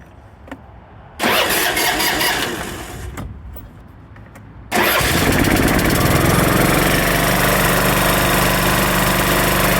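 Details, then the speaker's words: Craftsman LT1500 riding mower after blade, deck, drive belt, battery and steering work (valves needed adjusting, no smoke): a couple of cranks, then it fires and holds a steady, even speed with no hunting; sounds leaps and bounds better, normal running. "that sounds Leaps and Bounds better"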